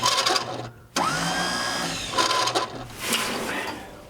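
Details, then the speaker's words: Starter on a truck: a high whirring spin-up that winds down without cranking; the Bendix pinion is likely jammed and not engaging. "I think that our starter is jammed up and the Bendix is not engaging."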